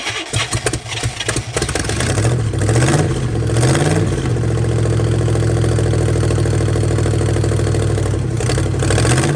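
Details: 1969 Chevrolet Caprice 427 V8 with 4-speed, just revived after sitting since 1988: stumbles, takes rising throttle blips, settles into a loud but uneven idle; rough running.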